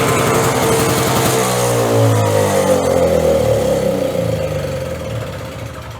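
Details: Curbside-rescued Craftsman 5.0 hp two-stroke snowblower, cold recoil start with choke on, primed three times: catches on the pull, runs strong and steady, revs easing slightly as it warms; healthy start.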